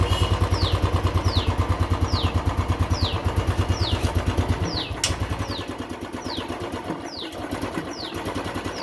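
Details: Royal Enfield Classic 350 EFI single-cylinder: slow, uneven thump of about three beats a second that sags and drops beats as the idle falls away. Ignition problem suspected, not confirmed. Unstable idle with misfire.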